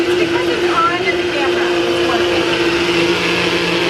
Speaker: yeah the motor sounds good though it just switch is a better thing we can fix it